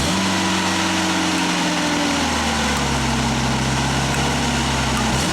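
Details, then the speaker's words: 1995 Genie Z-45 boom lift engine, started from the platform (basket) controls, switched to fast idle: a steady, even, higher engine note with no misses or knocks; the owner reports it often stalls. "That's fast idle."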